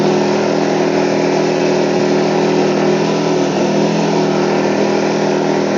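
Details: WEN 2000-watt inverter generator, about a year old, in for a warranty no-start; the fix was clearing a clogged spark arrestor, not a valve adjustment. After repair, a steady, even mid-pitched drone at constant speed under light load, no misses or surging.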